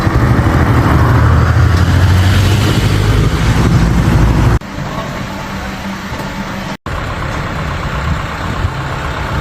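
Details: BMW F32 petrol engine idling roughly with a stumbling exhaust beat (iPE exhaust): terrible misfire, loss of power and drivetrain error; mechanic traced it to an ignition coil problem.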